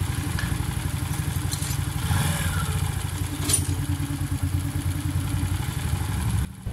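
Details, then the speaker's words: Modenas Kriss 110/120 older engine idling after overhaul with new connecting rod, timing chain and tensioner: steady low idle with light tappety clatter on top; slight noise present but harmless, normal idle. "Sikit-sikit bunyi tu ada, tapi tak memudaratkan."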